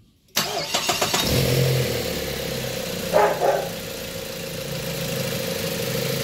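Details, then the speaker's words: Mazda 3 with a rough idle, restarted after the AC clutch plate clearance was adjusted: it cranks, catches and settles into a steady, even idle with no stumbles or misses. The engine is now quiet and no longer misfiring. "Ayan, tahimik na yung makina. Hindi na siya palyado."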